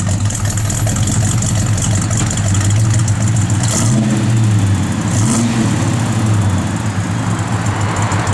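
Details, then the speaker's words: 1967 Chevelle SS, matching-numbers 396 V8, 4-barrel, Flowmaster FlowX dual exhaust, at idle: deep loud burble with a slight rhythmic lope from the cam, no knocks or ticks; possible small vacuum leak suspected. "the car's got good sound to it nice little lobe to it"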